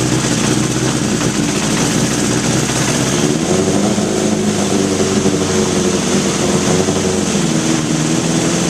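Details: 1981 Honda CB750 K1, about 3,900 miles, carbs reportedly just overhauled: steady idle rises as the carbs are sprayed, revealing a vacuum leak past the carburettor throttle shafts and boots, likely degraded original rubber seals.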